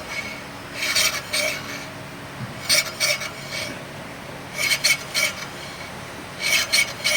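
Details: 2024 Hyundai Creta rear brake with motorized parking-brake caliper: harsh metallic scraping in paired bursts about every two seconds as the wheel turns; pads are worn down to the lines and rubbing the disc, so pad replacement is needed.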